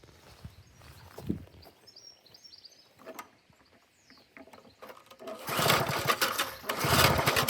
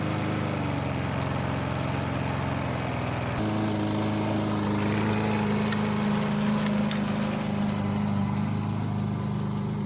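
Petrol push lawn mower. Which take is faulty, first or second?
first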